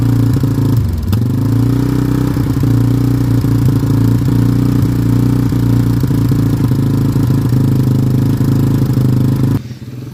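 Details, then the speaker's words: Yamaha Warrior single-cylinder ATV on its first start with a new carburetor, battery, filters and fuel filter, old oil and original plug: holds a high, steady rev with light clatter on full choke, revving to the roof, later moved to half choke. "it was revving to the roof on full choke so now i got it on half choke"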